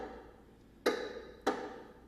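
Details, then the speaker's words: Bicycle with square taper bottom bracket: sharp hollow knocks about every 0.6 seconds as the crank turns, from loose bottom bracket bearings; planned fix is pulling the crank arm and snugging the bottom bracket. "um this bike here has a loose Bond bracket which are the bearings inside the crank that connect the two and that rotate on those and since those are loose it's making some knocking noises"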